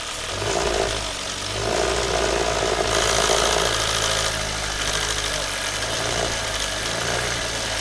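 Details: Toyota Avanza that came in with a coarse, clattering engine noise, before repair: rough idle with a busy metallic rattle over the engine note; timing chain rattle, fixed by replacing the chain tensioner and repairing or replacing lifters.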